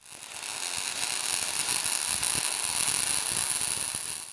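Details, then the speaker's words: ARCPEX MIG200 MIG welder with voltage and wire speed correctly matched: a smooth, steady frying crackle, even and bright with no pops or stutter, the sweet-spot sound of a correctly set arc. "That's the sound. Smooth steady like bacon fry or be buzzing. That's what you're chasing. Memorize that sound."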